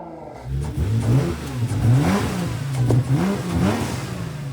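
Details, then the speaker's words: Salvage-auction car with about 44,000–45,000 miles, running on E85 and nearly out of fuel: crisp throttle blips rise and fall cleanly from a steady idle, with no knocks or rattles. The engine sounds healthy. "Sounds good. We'll shut it down before I run out of gas, but man, I like this thing."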